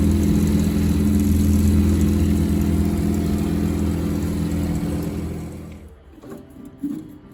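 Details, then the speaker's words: Combi boiler unserviced for about 8 years: loud droning hum with a low buzz and rhythmic throb from the fan motor, its blades clogged with dust; cleaning the blades quieted it. "arkadaşlar yaklaşık 8 senedir bakım yapılmayan kombini fan motorundan ses geliyordu fan motorunun kanatlarındaki toz tabakasını temizledik kanatları rahatladı"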